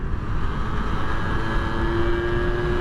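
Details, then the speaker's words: Suzuki Street Magic moped with a swapped-in standard 125cc two-stroke Gilera Runner engine, riding on the road, now warmer: crisp, even buzz under load with road rush, pulling cleanly and running crisper as it warms; normal. "It's getting better actually. Now the engine's warmer. It's running even crispier."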